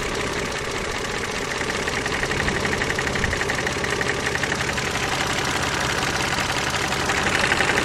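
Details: KF 2.0 engine at steady idle: light, fairly regular tapping about four a second; resembles a hydraulic lifter but the knock comes from the side, source unclear.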